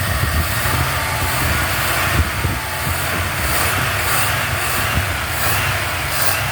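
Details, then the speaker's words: 1977 Buick LeSabre holding a fast, busy idle with a steady roar and no drop in speed; the idle is set too high. It has an HEI distributor, old fuel, no smoke and a working carb pump. The owner suspects the carburetor and plans to tune the idle down. "I gotta tune down that idle a little bit. But, yeah, she's really not a bad car."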